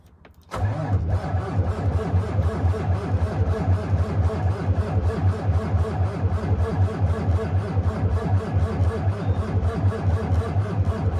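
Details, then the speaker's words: Cummins ISX 871 with 22,000 hours, cold start at about 11°F after sitting outside for days, no ether: steady cranking pulses about once per second for about eleven seconds before it started. A long cold crank with no fault heard. "i didn't let it stop cranking because i knew if i stopped i might not get it rolling again but it took off and it went"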